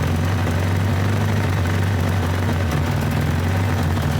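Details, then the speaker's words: 1975 Toyota Corolla KE35 at idle: a loud, deep, raw rumble from under the car, loudest midway along the exhaust, where the pipe was found cracked in several places. Exhaust leak. "it's down here like that sounds bloody terrible but it shouldn't sound like that."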